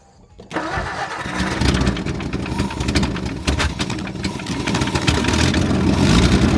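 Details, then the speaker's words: Ford Edsel, sat over a decade, first start attempt after fuel system work, carburetor primed through glass bowl fuel filter: engine catches after a brief crank and runs rough, stumbling and surging instead of settling to a steady idle. "dude she sounds unhappy go ahead again"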